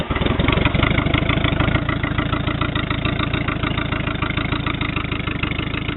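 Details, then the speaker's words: 1985 Honda Goldwing GL1200A bobber flat-four idling just after startup: even, steady low putter with no knocks or misses; runs smoothly, though it never sounds good right at startup. "They never sound good on here when you start them up,"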